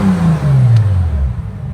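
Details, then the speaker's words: Bentley Continental Supersports W12 after fitting Walmart ignition coils: engine note sweeps smoothly down from a rev toward idle with no stumble, pop or miss, feels snappier; engine sounds healthy. "W12s are just so smooth that it feels good even with a bad ignition coil. That seems snappier to me."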